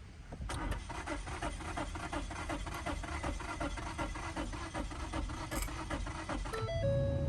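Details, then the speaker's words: 2015 Ford Taurus Limited after fuel pump replacement, pump heard running: steady cranking at about two and a half strokes per second that never catches; owner suspects alternator, blown fuses or faulty wiring. "yeah it's getting fuel but it's not igniting I don't understand"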